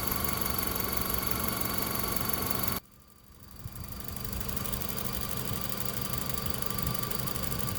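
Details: 2005 Honda Civic 1.7L idling: quick, light tapping over a steady idle, first taken for valvetrain noise, actually the EVAP purge valve clicking as it cycles.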